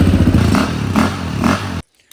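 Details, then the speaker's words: Bike started after the throttle cable was readjusted, more gas added and the air mixture screw adjusted; the small single picks up cleanly on three throttle blips and holds an even beat before shutting off. Normal running. "We got the bike running. We'll start it up for you guys."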